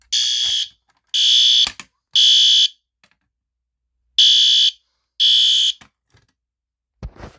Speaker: Okay, that sounds good. Now, let's try to pull the fire alarm again.